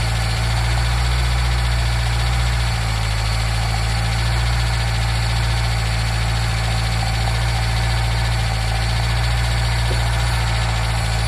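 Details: Nissan Micra K10 after the carburetor auto choke was repaired, cold start run up to temperature: steady, even low idle with a deep constant drone and no misses or knocks. It warms cleanly on choke, which later opens.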